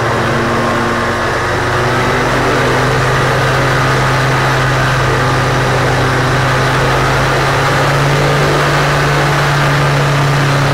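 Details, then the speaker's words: Rotax 503 two-stroke engine on a Challenger 2 ultralight, revved high then throttle dropped to low revs: uneven rattling, stumbling beat, the engine "death rattle" (four-stroking), at first mistaken for the re-drive. "well what you heard there was What's called the death rattle that rattling noise from the engine um let's listen to it one more time I'm going to rev the engine up and then drop the throttle and you're gonna hear that sound listen carefully"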